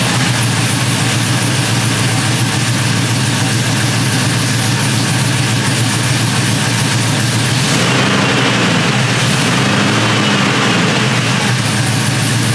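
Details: GMC 1500 single cab short bed after an engine swap, first start on a freshly flashed ECM tune, heard at the exhaust while warming, with good oil pressure. Loud, steady, lumpy V8 lope. Normal cammed idle.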